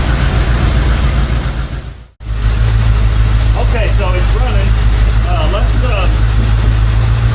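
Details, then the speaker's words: 1977 Chevrolet C10 Cheyenne 350 four-barrel 165 hp V8 with HEI ignition, tach unplugged, vacuum about 16: steady low rumble with occasional uneven stumble; rough idle, owner suspects the HEI ignition module or a bad cam lobe. "oh well as you can see it's still uh it it actually starts in it idles it doesn"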